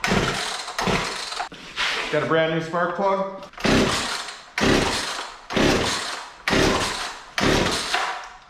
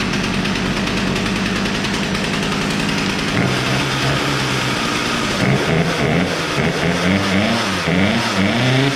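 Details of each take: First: Poulan Pro P3416 34cc 16-inch chainsaw left in an abandoned building: repeated cord pulls about once a second, catches under a second then dies; new plug didn't help. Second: Poulan Pro P3416 34cc chainsaw after idle screw adjustment; spark plug gap was likely too closed: two-stroke buzzes steadily, then revs up and down cleanly with crisp throttle response; now running properly.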